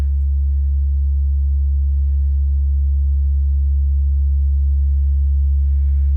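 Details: Wurlitzer 530 jukebox amplifier on test after repair (recap completed, PECs and out-of-tolerance resistors replaced, AVC restored): clean, steady low bass test note with only a faint hum and no crackle or distortion; amplifier healthy.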